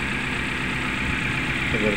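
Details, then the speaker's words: Suzuki Carry Futura pickup at idle: uneven, lumpy idle with a faltering beat and shaking engine; one cylinder not firing. "tapi mesinnya seperti ini kondisinya bergetar seperti itu ya kita coba cek dulu di bagian mesinnya nah ini kita coba ini mesinnya ginjal seperti ini"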